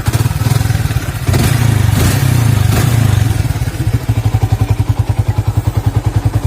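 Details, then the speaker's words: Older Yamaha Vixion (2000–2011) fully hot, over 100°C, after repair of a whining/squealing noise that appeared when hot: even, steady idle with no whine or squeal; fix successful. "ini kondisi masa ngapa mesin pun sudah juga udah udah panas ya tapi tetap nggak bunyi jadi artinya pekerjaan kita berhasil hari ini"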